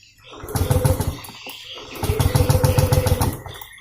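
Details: Yamaha Aerox scooter: two bursts of starter cranking at roughly three to four pulses a second that never catch. Crank-no-start because the fuel pump gets no power through a damaged feed wire, which is being replaced.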